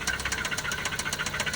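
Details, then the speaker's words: 2003 Toyota Celica started on a jump box: sharp, regular metallic knocking about eight times a second over a rough idle; internal engine knock, cause unclear. "jump box H up to it start it up knocking a bit on this one put it in gear move it"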